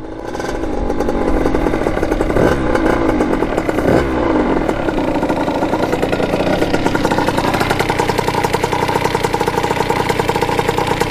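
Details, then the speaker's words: Kawasaki KX80 big bore two-stroke after new head gasket and cylinder head repair, coolant leak fixed. Crisp buzz picking up cleanly on throttle blips, settling to an even idle; running healthy. "It's running like really crispy. Man, this sounds really good. I'm happy with that."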